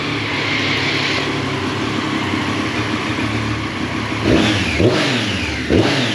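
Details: 2018 Triumph Street Triple 765 RS, 20,000 km, after tightening four loose valve cover tab bolts: even idle then three quick clean revs, with no ticking or rattling.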